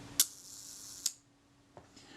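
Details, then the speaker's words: Synchro Compur shutter from a Kodak Retina IIIc, being serviced for oil contamination, cocked and fired at the 1 s setting. A release click, a fine buzzing run-down, then a closing click in under a second: it runs fast, so the retard gear train needs more engagement. "now let's see here with this guy's the shudders cocked I should take about one second to run down"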